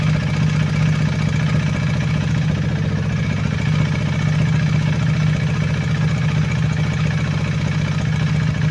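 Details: KTM Duke 390 V2 single after repair: intake and exhaust camshafts and two rocker arms replaced, valve clearances in spec, earlier clatter from head oil passage blocked by gasket maker; steady even idle, faint light valve tick, normal for KTM.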